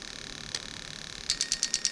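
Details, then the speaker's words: Toyota Soarer/SC400 1991-94 V8 on a bench test of a new automatic gearbox harness; injector 2 ticks crisply and evenly at a steady rate, and all eight injectors are confirmed working. "Can you hear that clicking away? Okay, so we're happy. All the injectors are working as they should."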